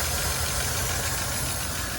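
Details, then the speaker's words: 1972 Chevy C10 revival, after air-blowing a blocked carburetor clear: runs on its own at steady idle with slightly uneven beat; accelerator pump suspected bad, vacuum leak from an unplugged line. "It's running on its own, but I bet you the accelerator pump is probably bad. Plus, I got a vacuum leak here."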